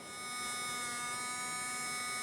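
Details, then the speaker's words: Rusted Robie Senior robot's small gear motor, run on battery after soaking in WD-40: even, high buzzing whine holding one pitch without stutter or scraping; motor works and runs smoothly. "that one sounds good see what happens over here it works"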